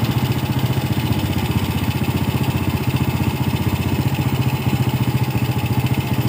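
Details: Yamaha Vega R motorcycle idling after its faulty carburetor was serviced and refitted; air filter cleaning and body covers still to go. An even, steady putter at about 3–4 beats per second with no misses or stumbles; normal healthy idle.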